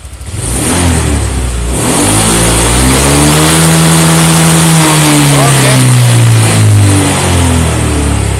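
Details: Honda Vario 125 LED fuel-injected scooter after adjusting throttle position sensor (TPS voltage set around 4.1): engine climbs cleanly to high revs at full throttle, even rising tone without stumbling, then settles back. Normal wide-open throttle rev.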